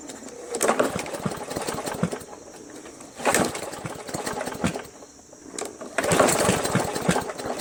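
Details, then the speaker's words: Free roadside MTD Yard Machines 20" push mower, Briggs & Stratton 300E, sat long in a garage: three pull-start attempts sputter, gurgle and die without catching; water found in carb bowl and fuel tank, owner first suspected sheared keyway. "that's why there's water in tank that's why the gurgling I recognize the gurgling its water in the tank that's water h2o"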